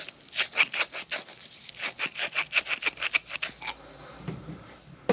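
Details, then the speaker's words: 1940 Harley-Davidson UL 74 flathead oil feed pump rebuild, hand-lapping a check ball seat with light pressure: rhythmic sandy scraping strokes about three a second fade to quiet near four seconds as the seat beds in. "not pressing down real hard just a little bit until the noise changes from Sandy"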